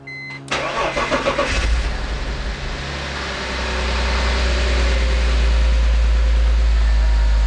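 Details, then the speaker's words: BMW E46 M54 inline-six on first start after engine rebuild, oil pressure light out: cranking catches into a rough idle with a loud, fast, even top-end tick. Lifters are still filling with oil. "okay the oil pressure lights out so we got oil pressure and we got that loudness that's the lifters"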